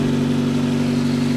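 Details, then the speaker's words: V2 generator/cogeneration unit with a heat exchanger, test run after many changes, fuel setting raised to the fourth position to cure fuel starvation, no electrical load: steady, even drone with a constant low tone, no misses or knocks; running smoothly, sound much improved. "Let's try it again now you may not hear it but the sound is much better fourth position [Music] Well, it's quite good"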